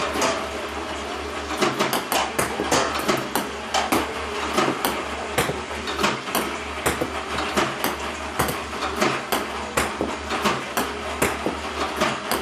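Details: iPong Pro ball launcher, 4 weeks old, about 2 hours run time, clean Joola 40mm balls, power cord fully plugged in: irregular sharp clacks about twice a second with skipped beats; misfiring increasingly often, cause unclear.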